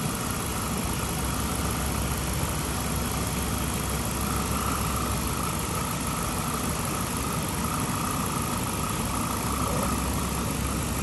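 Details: 2007 Chrysler 300C Hemi after overheating, coolant refilled, heat on to bleed air: steady, even low idle drone with no knocks or ticks; healthy.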